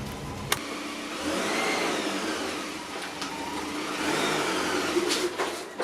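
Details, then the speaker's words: 1990 Saab 900 first drive after a rebuilt steering rack install: the engine revs up and sags back twice with uneven surging and sharp pops over the drone, running rough with the cause unclear. "well besides it running like an absolute turd the steering feels the same way it did as the day i took it out and it's not leaking"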